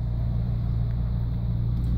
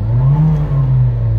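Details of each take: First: Car that had been stuck racing at 2500 rpm, after resetting the idle air control (stepper) valve: steady low rumble at correct idle speed with air conditioning running; valve may need replacing if the fault returns. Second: Parked petrol car idling at a raised 2000-2500 rpm that won't drop, a steady hum that never settles; suspected stepper/idle air control sensor.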